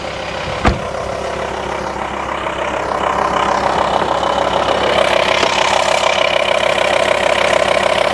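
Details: VW T5 Transporter pre-facelift 2.5 BNZ diesel at idle after fixing an intermittent A/C fault. Radiator fans roar evenly and the compressor runs smoothly with no cycling or knocking, blowing cold air; normal A/C operation.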